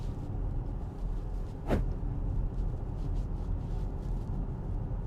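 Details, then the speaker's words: Acura MDX after dealer transmission replacement at 40,000 km (original failed), cabin road test at 35–42 km/h: steady low road rumble, no whine rising with speed; the earlier noise is gone and the automatic transmission sounds quiet and healthy. "If we can still hear that sound around the 40 kilometer. So we're at 35 now. We're now at 40, 42, technically there. It's fairly quiet."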